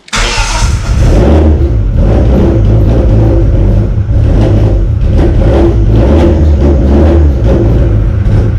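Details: 1995 Plymouth Neon ACR with a big cam, no oxygen sensor hooked up and a suspect valve cover gasket: fires up and revs, then idle hunts and sags and won't settle; rough idle, cause unconfirmed.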